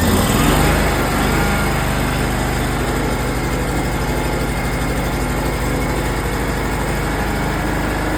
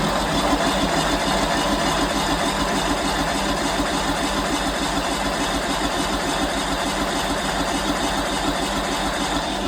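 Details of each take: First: Simplicity lawn tractor, first spring start after winter in a shed, full choke after long cranking with dry fuel lines: engine catches with a brief surge, then settles into a steady even chug, no misses or knocks; running fine. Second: Simplicity lawn tractor, first start of spring after winter stored in a shed, parking brake set, full choke: ten seconds of steady, even cranking at about three turns a second that never catches while the fuel pump pulls fuel through dry lines into the engine; hard starting from dry fuel lines.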